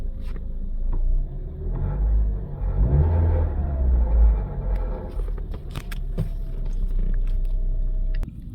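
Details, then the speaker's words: 2008-2013 Toyota Corolla at startup: engine revs briefly over a deep rumble with loose metallic clicks and rattles underneath; rattle occurs at slow speed and stops around 40 mph; exhaust heat shield came loose where a washer fell off. "um anytime you turn on the car and when you're moving at slow speed there's a that noise you can feel it um and it stops the moment you heat about 40 m hour"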